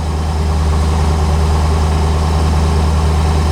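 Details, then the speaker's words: 1985 Chevrolet Corvette C4 idling cold at 14°F after a dead no-start traced to a poorly connected negative battery cable; deep, steady low rumble with even beat, no knocks or misses; battery charging, oil pressure and rpm good, normal cold idle. "And as you can hear, running. Battery's charging, oil pressure's good, RPMs are good. Unbelievable."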